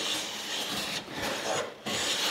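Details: Tuned brand-new Quangsheng No. 5 1/2 jack plane planing hard maple to a glass-like surface: two long, even hissing strokes with a clean stop between them; smooth cut, no chatter or vibration.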